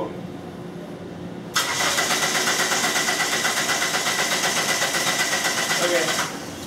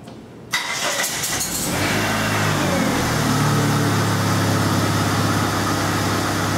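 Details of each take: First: 1997 Dodge Neon 2.0L that won't start after a transmission replacement, with no spark and code P0320. The starter cranks steadily for five seconds without firing. The scope shows a cam signal but no crank signal, and the fix was repairing broken crankshaft position sensor wires. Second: 1997 Dodge Neon 2.0L, first crank after repairing broken crankshaft position sensor wiring that caused no-start, no spark and code P0320; short crank catches quickly and settles into a steady, even idle around 3.5 beats per second; clean healthy start.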